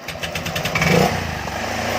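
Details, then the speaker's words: Honda Vario scooter, liquid-cooled, just started: hard to start, needs high revs to fire, then stumbles in uneven pulses and won't hold idle; leaking head gasket, radiator coolant spurts when revved; CKP sensor checked fine. "Ini agak susah hidupnya, dia harus putaran cepat baru dia baru mau hidup sobat ya. Terus di posisi stasioner juga dia nggak mau."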